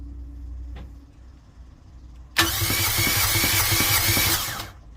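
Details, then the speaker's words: Fischer Panda marine generator on a Tiara 34 boat, about 40 hours, cranked by starter: spins fast and evenly with no compression chuffs; internal catastrophic failure, metal found in the oil. "okay well that's not good that sound is uh no compression something happened internally there"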